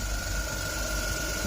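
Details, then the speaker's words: Engine idling just after an alternator replacement: a thin, constant high-pitched whine rides over the idle and doesn't change; owners suspect the belt, new V-belt tension not yet rechecked, cause unconfirmed. "Is that how it normally sounds? I don't think so. It's got a kind of whine, hasn't it?"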